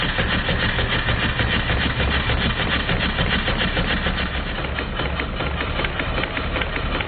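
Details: Stuart triple expansion model steam engine on live steam, run outdoors because the workshop is cold; even chuffing near 200 beats a minute with light rhythmic clicking from the vacuum and water pumps; running smoothly.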